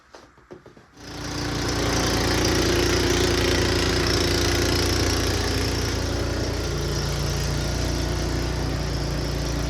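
Small single-cylinder engine catches and settles into a steady, even beat of about four per second with no misses; runs fine.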